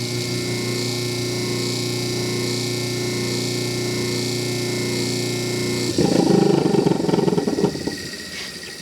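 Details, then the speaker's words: 1950s Atlas 10-inch band saw model 9360 after cleanup and tune-up: motor hums steadily on one even tone with no knocks or grinding, running smoothly, though slight pulley wobble is visible. "it sounds pretty good I see a little bit of wobble here on the pulley so I'll have to watch that"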